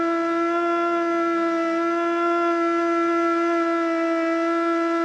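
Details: Older Federal Signal Model 2 siren (old CD box), Princeton NE, alert test: steady wail holds low and wobbles, never reaching full pitch, winding up weakly; owner suspects worn brushes.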